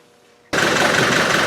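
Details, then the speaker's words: Land Rover Defender 300 Tdi diesel after leaking P gasket repair and cooling system pressure test to 15; starts into steady even idle clatter, no vibration and no noise from pulleys, running normally. "we go it's really like pauper listen to that that's how you shoot its tone and look there's no vibration it's not jumping all over the place the pulleys are nice there's no streets or anything from the pulleys"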